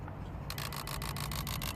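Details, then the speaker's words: Renault Modus 1.5 dCi non-starter with no engine ECU communication, fan running and immobiliser light on: sudden rapid buzzing chatter about eight clicks a second over a low hum when area is pressed; relay chattering. "This is a relay, yeah. Okay, can you hear that?"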